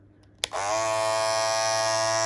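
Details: Andis Masters cordless clipper, loud after a few months of use: it starts with a snap and settles into a loud high buzz and rattle. A worn part that pushes up on the bottom blade no longer supports it.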